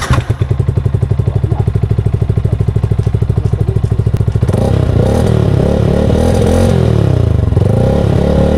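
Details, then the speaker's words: Yamaha Sniper 155R with Dyno Pro exhaust, after tightening the loose nut that rattled: even, steady idle then smooth rev with no rattle or buzz; sound test confirms that bolt was the culprit and the exhaust is normal. "At heto na nga ang sound test para makonfirm natin kung nawala na nga ba yung ingay."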